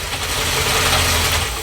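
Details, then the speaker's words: Ford XB Falcon MFP interceptor replica just started after being a non-runner: loud, busy metallic rattle over a steady idle, sounding like a nut flung in the water pump; normal noise of its gear-driven camshaft timing instead of a chain. "So what you're hearing there, what sounds like a nut being flung around the water pump or something of the sorts, is a direct gear drive."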